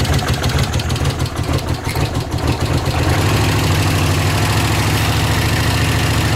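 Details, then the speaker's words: Honda CX500 twin, leaking oil from a bad front seal when hot: steady even low idle with a consistent beat and no misses or knocks; running much better than at first start. "it's leaking pretty good but yeah it's actually running a lot better than it was whenever I first had to start it up"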